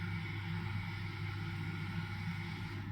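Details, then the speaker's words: Bosch tumble dryer: the condensate pump gives a steady, even low hum with no knocks or rattles, holding constant; normal pump running. "On entend bien la pompe hein. La c'est la pompe haut."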